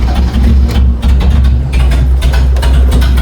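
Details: Idle on a BMW E30, which had earlier died after 5–6 minutes of idling; low, uneven, lumpy idle that wavers and sounds close to stalling. Owner suspects dirty throttle-body carbon build-up; cause not confirmed.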